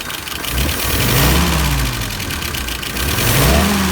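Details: Engine repaired after a stumble complaint, idling about 660 rpm, fuel pressure about 3, about 23 on the vacuum gauge, dwell unchanged: blips up cleanly and settles back with even firing, no stumble or misfire; healthy rev.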